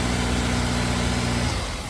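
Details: Honda S2000, about 55,000 miles, after fluids and UK exhaust mod, cold start after sitting 6.5–7 hours checking for start-up rattle; catches and settles into steady even idle, no rattle: healthy cold start.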